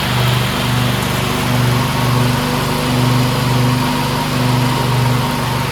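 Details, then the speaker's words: Briggs V-twin on a DLT 2000 after replacing bent pushrods, both head gaskets, one cylinder head and the carburetor: a steady, even drone holds speed under 48-inch deck mowing load with no misses, knocks or hunting. Running healthy. "Engine's running fabulous. I'm so stoked. I didn't think this engine would run."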